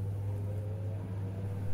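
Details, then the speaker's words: 11-year-old LG top-load fuzzy logic washer after drain motor replacement, with the lever releasing the brake and opening the drain valve, water drained: a low, even hum rising as it spins up. Normal spin, no grinding. "waiting for the spin function it start to spin all the functions work normally"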